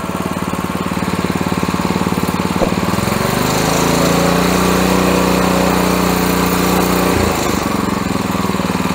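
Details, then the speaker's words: Honda pressure washer engine that had sat unused and would run only on choke, after carb work. With the choke fully off and the throttle down, it settles from a fast run into a smooth, steady idle and stops hunting once warm. "Okay, nu vil vi bemærke, at vores choker nu er helt slukket, og hun kører glat ."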